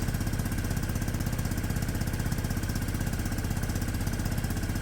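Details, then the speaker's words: Peugeot Satelis scooter, 31,000 km, sat two years, cold and warming up after immobiliser fix where the CDI plug reportedly needed reseating; steady, even putter about four beats a second, no knocks or misses; clean, healthy idle. "yeah yeah yeah yeah it 100 sounds"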